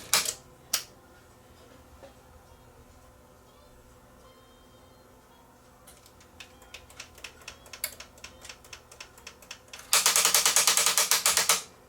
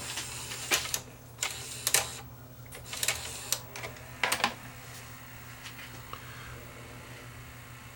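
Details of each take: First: Sony EDV-7300 ED Betamax with a faulty front loader: scattered clicks build into a loud, rapid ratcheting grind for about two seconds as the mechanism tries to engage the pinch roller, which is sticking. The loading motor is to be inspected. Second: Sony EDV7300 ED Betamax after servicing the loading motor, which had been sticking and not engaging the pinch roller: crisp mechanical clicks and clunks about a second apart, then quiet running; tape loading and eject now cycle normally.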